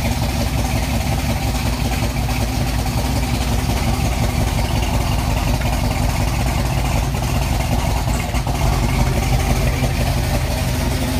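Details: 1989 Mustang LX 5.0 fox body, 306 with MAF, GT40X heads, Z303 GT40 intake, long-tube headers, Flowmaster 40s: deep V8 idle with uneven stumbling lope, misfire caused by a badly wired MAF.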